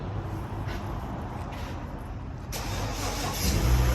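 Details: 2014 Chevy Impala 3.6 L V6 idling with a deep, uneven chug from a cylinder 1 misfire.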